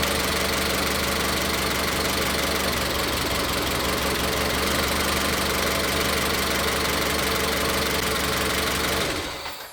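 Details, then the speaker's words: Car with individual ignition coils shaking at idle with a stumble about four times a second; unplugging coil connectors one at a time showed the misfire is in cylinder three. "En este caso, claramente vimos que la falla de encendido viene en el cilindro tres."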